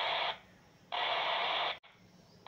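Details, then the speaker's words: RigExpert AA-230 Zoom analyzer's SWR2AIR feature, received on a handheld radio tuned to 145.150 MHz, with an untuned RTL-SDR dongle antenna. Slow, spaced rushing bursts about one a second. The burst rate rises as SWR approaches 1; here SWR is high. "you can hear the burst of audio code that is being sent by the r expert the frequency of this audio code is dependent on the S SWR if the S SWR goes towards one as it goes towards one the frequency of this audio burst starts increasing"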